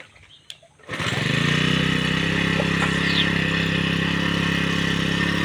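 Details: Brushcutter/grass cutter that would not start, after replacing the fuel pump, started on choke after priming: catches after a couple of pulls and settles into a steady, even buzz with no stumbling; running fine.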